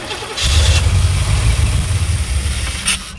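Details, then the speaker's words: 1984 Corvette that sat for years, starting after a fuel-line blow-off and likely flooding, with fuel spraying but seemingly not enough: stumbling, lumpy firing that surges and sags as the pedal is worked; cause not confirmed. "it's spraying fuel it's just not getting enough I guess let me get in here and work the pedal a little [Music] bit snorting spitting and snorting"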